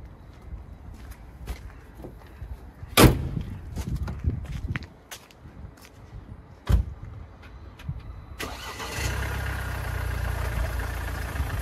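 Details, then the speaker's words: Mercedes diesel on a morning cold start fires with a loud harsh clattering rattle that quiets after a few seconds; stretched timing chain at the rear of the engine, running fine afterward, due for chain and tensioner replacement. "noisy and then it quiets down this is a timing chain symptom hopefully you can hear it in the video [Music] so quite a loud noise and then after a few seconds it quietened down it's a symptom that the chain is stretched"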